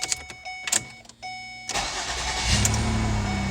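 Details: 2009 Ford Escape 3.0 after ignition switch replacement for a no-start: key clicks and chime, short crank, engine catches at once and settles to a steady idle; clean normal start.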